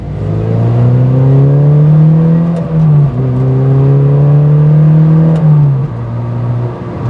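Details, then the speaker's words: Mazda MX-5 NC1 Miata, after replacing brittle coil and plug wire pigtails to cure low-RPM hesitation in lower gears, test drive: engine climbs smoothly through two gear pulls with clean shifts, no stumble or bog. "And it seems like everything is running super smoothly. Car sounds good, engine sounds good. So I'm pretty happy with this."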